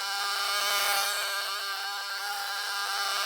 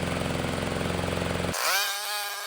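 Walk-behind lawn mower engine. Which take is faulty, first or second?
first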